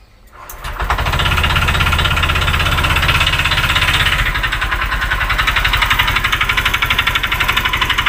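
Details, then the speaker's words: Honda Vario 125 FI after engine teardown for a radiator leak into the combustion chamber and a 100 oversize piston, starting to idle: steady light knock about four per second; mechanic says connecting-rod symptoms though the rod is not loose, knocks below 30 off-throttle. "Seperti apa ya suaranya, ciri-ciri stang piston kena meskipun tidak kocak ya."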